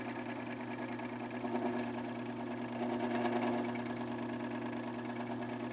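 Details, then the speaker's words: Fan motor with very bad bearings: quiet hum with faint rough scratching that swells with speed; owner suspects excess hub end play lets rotor push back and rub rear casing at the bearing after a botched earlier disassembly; motor not yet opened. "when you hear that scratching noise, when the fan gets up to speed a bit, the rotor's actually pushing on the back of the case, the motor casing, like rubbing right on that bearing,"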